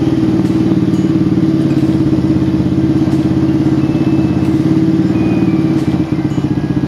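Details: Old motorcycle engine after replacing the crank, its bearing and the piston: steady even idle with a regular low thump, no knocking or rattle from the bottom end. Earlier noise gone; normal running.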